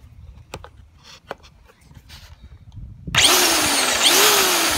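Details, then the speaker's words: Black & Decker GH3000 electric trimmer, about 3.5 years old, after fixing a faulty switch with a screw following a feed spool replacement: handling clicks, then the motor holds a high steady whine with slight pitch drift; running normally. "so there you go I'll tell you fix your black & decker gh 3000 trimmer with just a screw"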